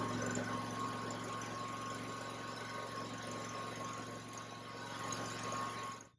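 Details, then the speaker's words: Toro Grandstand mower engine running after oil and oil filter change with fresh oil; steady even drone with constant low hum and light mechanical hiss, no knocks or misses, then shuts off, running healthy. "So we should be all set. I'll turn it on and let it run for a little bit."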